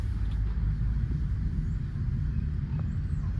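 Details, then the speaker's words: Accident-damaged car bought at an insurance auction, on its first slow drive down a driveway: a low, uneven rumble from under the car with no clear rhythm; cause unknown, and the owner suspects a tire may be quite flat. "here's some rumbly noises don't know what that is"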